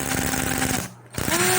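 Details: Nissan Sentra crank no start: fast even starter churning turning the engine over, short pause, more cranking, never fires or catches.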